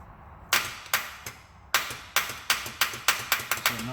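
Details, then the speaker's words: 2007 Ford F-150, 5.4L 3-valve V8, sudden no-crank no-start: starter jumped at the solenoid gives sharp repeated clicks, about a dozen in four seconds, engine never turns over; starter will not engage and has failed. "means our starter is screwed it will not engage and turn the motor over so that's what the problem is on the truck"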